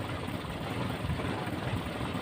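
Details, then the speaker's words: Toyota Kijang carbureted engine at normal idle after a clogged air filter was replaced; it runs smooth again with a steady low beat and no misses, and the heat felt earlier after a long drive is gone. "Ya, suaranya halus kembali, dan panas yang tadi waktu kita jalan jauh tadi hilang."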